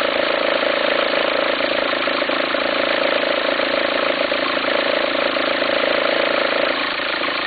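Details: 2004 VW Passat 1.9 TDI diesel at steady idle: pulsing, flapping drone three or four times a second, like the belt slapping. Belt appears to jump with the noise. Owner suspects a worn pulley, unsure whether to replace the pulley or the alternator.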